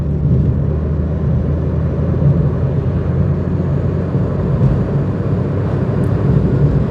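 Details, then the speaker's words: Vauxhall Corsa B 1.2 Merit, 60,000 miles, new exhaust back box and tyres, cruising at 60 mph: low steady drone with road rumble, a little buzzy but smooth, no knocks or misses; normal. "and that's us at 60 M hour as you can hear it is a little Buzzy but uh the engine's very smooth so it's not unrelaxing there a bit of road noise"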